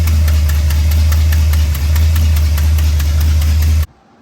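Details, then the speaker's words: 1966 Ford F100 starting quickly with new starter, then loud steady idle with rapid uneven puffing tick from an exhaust leak until shutoff. "check out how fast cherry starts now with the new starter and you'll probably hear the exhaust leak and set it down pretty fast you can also hear it"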